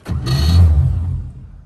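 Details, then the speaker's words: Bagged 1955 Chevy, first start after a repair attempt with the battery reconnected. The starter grinds for about a second and the engine never catches: crank, no start. The owner next suspects the fuel line. "Dang it. Well, that didn't work. Onto the fuel line, I guess, since project failed."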